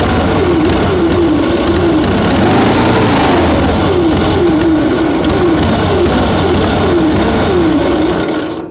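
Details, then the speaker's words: Excelsior motorcycle on its first electric-starter start in 3.5 years: a loud, ragged beat with a wandering pitch and no even twin rhythm, like it's running on one cylinder; the spark plugs were found wet and fouled. "Sounds like it's running on one cylinder."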